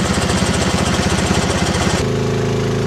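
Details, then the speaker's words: T80 air compressor: fast, heavy rattling knock with a high-pitched squeak, still producing air; rattle settles when the load is removed by blocking the inlet, indicating a failing compressor, which later seized and twisted its pulley apart. "one easy way to check see if the compressor making a noise is take the load off got no load on it doesn't rattle compressor is bad"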